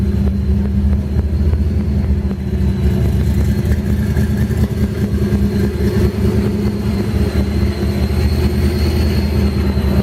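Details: 1965 Mustang Fastback, supercharged, with custom Trick Flow fuel injection: a strong, steady engine note with a high, even supercharger whine, smooth through idle and throttle blips, running healthy.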